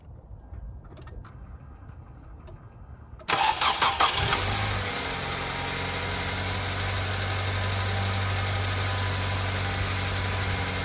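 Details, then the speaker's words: 2010 Kia Soul after belt tightening, cured of squeal at startup and stiff power steering: engine cranks, catches and settles into a steady, even idle with no belt squeal. "So there you go. No more squeaking noise. So you just fixed your 2010 Kia Soul."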